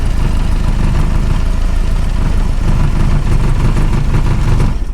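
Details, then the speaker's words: Hillman Imp 1040 race engine that began misfiring on a rally stage. Loud, low idle with an uneven, lumpy beat and a missing pulse, mechanically quiet; running on three cylinders, cause not yet found. "let's have a quick look cuz you fired it up for me and um we'll have a little listen to it and see if we can work out what's gone wrong it sounds mechanically quiet"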